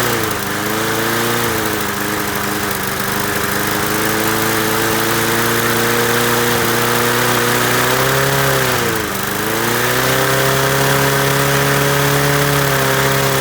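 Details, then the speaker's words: Masport 21-inch self-propelled mower, Briggs & Stratton Quantum 6hp, first start after new blades: high flat roar with no drop to idle, one brief dip; owner suspects throttle stuck wide open on governor side, not carb. "It would appear our throttle's a bit stuck on the governor side of things. So it would appear that something's stopping the carburetor going back from the idle position, or back to it. It's just jammed on wide open throttle."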